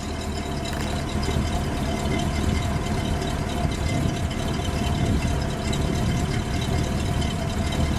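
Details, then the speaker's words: 1965 Cadillac Eldorado convertible, factory 429 cu in V8 idling: very quiet, even idle with a soft low rumble, no knocks or misses; "Cadillac smooth," a healthy engine running as it should. "That is Cadillac smooth. Yes, it is. Yeah, no doubt."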